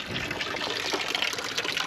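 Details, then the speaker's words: Dempster windmill water pump with trouble holding prime, air spraying out: irregular gushing and spitting water with uneven surges instead of steady flow; pump sucking air and losing prime. "It It stopped pumping by the time we got out the driveway the other day, but the other day it wasn't windy, so we didn't get to see it do anything, unfortunately. So, see, we're we're stuck in air right now."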